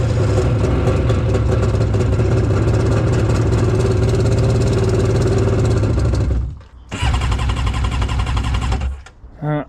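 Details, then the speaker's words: 787 two-stroke jet ski engine, sat for a few years, revs loud and raspy with an uneven stumbling beat, cuts out and restarts; compression 100 PSI front versus 150 rear, low front cylinder. "oh only 100 PSI up front I mean should be able to run with 90 so it's not the worst I've ever seen but should probably be more around like 140 150 I would guess"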